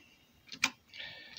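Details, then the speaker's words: Cassette deck: two sharp, dry ticks with no motor hum; load/unload mechanism works but the main flywheel, driven by the same motor, isn't spinning, appearing seized until nudged by hand. Mechanism ticking, flywheel not turning. "that mechanism is working which is the load and unload but the main flywheel is not spinning."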